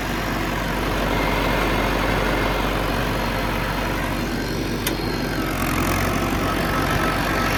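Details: John Deere 450C bulldozer, warmed up after reassembly, pressures set and fluids topped off: steady, even diesel rumble with no knocks, misses or surging; engine healthy and running smoothly.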